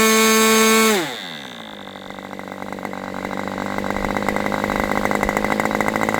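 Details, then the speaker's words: Aviastar 46 ABC glow engine after low-speed needle adjustment, low speed now decent: a high scream drops sharply to a fast, even popping idle, about four pops per second, and picks up slowly. Owner says it is not rich and seems lean; unconfirmed. "So, it's not rich because that's not making it, but it seems like it's lean."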